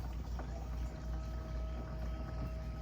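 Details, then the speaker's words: Chevrolet S10 project, key on: steady mid-pitched hum with faint higher overtone over low rumble as the electric fuel pump runs and pumps fuel normally. "That's right, folks. We're pumping fuel out of this thing. Come on. Woo! That is a relief. Sorry, gotta get the key out. So the fuel pump is working."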